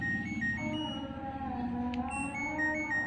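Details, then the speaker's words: LG Smart Inverter washing machine control module, bench-powered with 220V AC: the standby light is on, and pressing power plays the buzzer tune very faintly, with no display. Weak buzzer. "Nah, ini di sini basernya hidup tapi suaranya sangat lemah."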